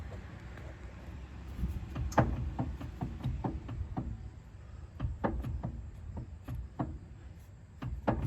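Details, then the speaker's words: 1998 Honda CR-V front wheel rocked by hand: uneven hollow clunks with a loose slap at each reversal, no up-down play so ball joints seem good; worn tie rod end that had chewed up the tire. "I don't know if you guys can see the play in there, but you can at least hear the slap."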